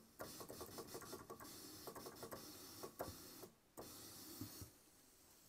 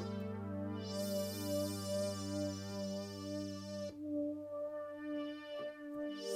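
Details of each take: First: Roland Juno-106 (1984) synth, DCO noise, range 8: crackly, clicky hiss that cuts out and returns on voice 2, whose voice chip (A1QH80017A) is faulty; voice chip fault, intermittent voice dropout. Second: 1984 Roland Juno-106 synth after voice-chip epoxy removal repair, first power-up after reassembly: sustained chords ring clean and steady, every voice even with no dropouts or crackle; normal synth output, repair appears complete.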